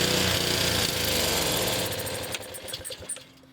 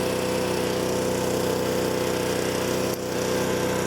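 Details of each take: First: Honda HS520 snowblower, 4-stroke, also hard to start after being tipped back up: runs briefly, coughs, sags to near-dead idle, then picks up again; fuel starvation surging. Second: Honda HS520 snowblower Honda four-stroke with new OEM carburetor after fuel starvation, governor adjusted, warmed up: steady even drone with no hunting or surging; governor working, throttle plate floating properly.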